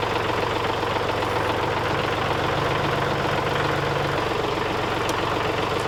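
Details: Kubota L3901 diesel tractor with LA525 loader after replacing the failed pump-to-loader-manifold hydraulic hose and adding 1 gallon of fluid: steady idle with faint pump hum, lifts bucket with no leaks; normal loader hydraulics.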